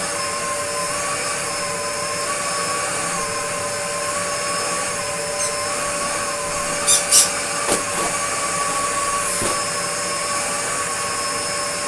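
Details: Restored Dyson DC02 DeStijl with suction restored, cleaning a floor: steady, even motor whine at a constant pitch with only the odd knock from floor contact. Healthy, normal running.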